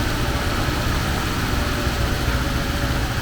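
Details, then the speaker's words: 1979 Porsche 924 engine idling, left running to warm up: steady smooth rumble, no knocks or ticks; won't accelerate yet, owner suspects timing belt. "actually it sounds really good now if i can get it to accelerate i imagine it needs a new timing thing there"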